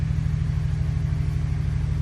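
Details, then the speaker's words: 2013 Ford F-150 3.5L EcoBoost comeback idling, low rumble with steady repeating stumble; power balance test shows cylinder 4 dead misfire with an aftermarket ignition coil. "So we can see all these other cylinders are pretty much gravy at the 0 mark, and this guy's underperforming, number 4. That is a dead misfire."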